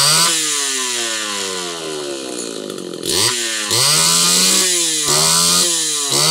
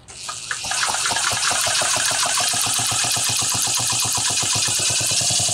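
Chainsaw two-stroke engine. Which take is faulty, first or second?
second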